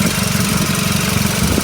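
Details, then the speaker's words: 2005 VW Mk5 Golf FSI direct-injection petrol engine at idle. Steady with a busy, fast ticking clatter on top, the usual noisy FSI sound; normal idle. "so you've got the FSI engine here it is quite a noisy engine I definitely know if someone's driving SSI Engine outside because they always sounds like this"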